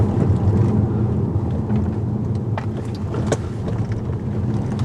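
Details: Tesla Model S driving over city road bumps, recorded from rear seat: road rumble with sporadic light clicks and rattles from the rear; cause a trunk/tailgate trim panel not seated properly.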